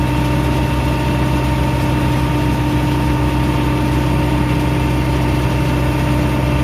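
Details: Bobcat 773 skid steer diesel after a park brake/traction lock solenoid replacement, traction lock being engaged and released: steady, even idle with a constant low drone, no knocks, misses or surging; engine runs cleanly.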